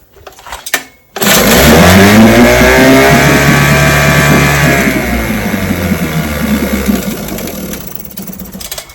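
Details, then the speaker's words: Vintage two-stroke outboard (JV's motor, restored then repaired), Monday start after opening the fuel valve, already primed; cranks, catches at once and settles into an even, steady run without misfires or knocks, a healthy start. "and motor runs perfect. This is the Monday start."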